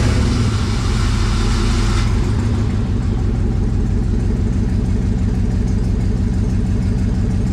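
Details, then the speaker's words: LS-swapped 1954 Chevy rat rod at idle: lumpy, uneven V8 with a stumbling beat about three times a second; scan showed 200-300 misses on cylinders 7 and 8, worse under load; disconnecting a cylinder made no difference. Engine misfire, cause unconfirmed. "first I wonder if I just disconnect it if it'll make a difference in how it runs because it's misfiring a lot"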